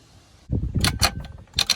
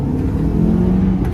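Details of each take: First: Honda Element manual transmission with 260,000 miles, removed from the car and turned by hand, gives rough, gravelly grinding and clattering, sounding full of rocks; the gears and bearings are worn from running low on gear oil, which leaked past the seals into the bell housing. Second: Honda Element with manual transmission just installed and a new clutch at 260,000 miles: steady, smooth low rumble under acceleration with no whine, grind or clunk; gearbox healthy, all five gears work and it isn't loud.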